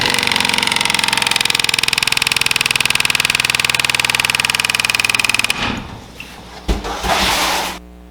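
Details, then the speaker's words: HVAC blower fan wheel with an axle nut zip-tied in as deliberate debris: hard rhythmic thumping about four times a second over the fan whir, then spin-down. It shook so much a wire fell off; a badly out-of-balance blower wheel. "I mean, look at that. That is a lot of weight in there, guys. It just shook so much that one of the wires fell off."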